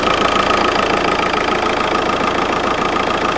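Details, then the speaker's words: VW Golf GT TDI after turbo replacement: steady diesel idle with a sharp, even knock about three and a half times a second on top; no boost, no engine lights, some smoke; refitting the intake didn't stop it, cause unclear. "Oh my god, what is that sound? Oh my days, what is that sound? It's like misfiring."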